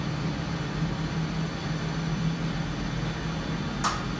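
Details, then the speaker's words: 1962 DAKA elevator (1986 modification): motor hum runs nearly four seconds before a sharp brake click; burned diode in the brake coil rectifier bridge gives low coil voltage, so the brake releases late; elevator brake releasing late. "Brake stays closed much longer than it suppose to, after motor starts."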